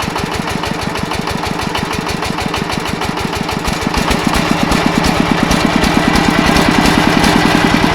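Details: Yanmar 105 single-cylinder diesel walk-behind tractor engine driving a water pump for sugarcane planting: pounding about three beats per second, a harder, louder knock building in the second half. Engine knock under load.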